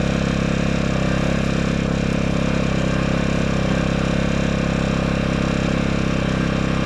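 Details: Generator that sat outdoors in rough conditions and was previously run at its 1,000-watt max, started with choke after sitting a while; steady, even low drone with no surging, knocking or hunting; normal running.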